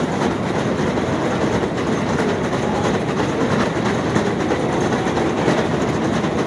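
Constant mechanical rattle with a loose clacking, roughly under one beat a second, over the running escalator; cause unclear.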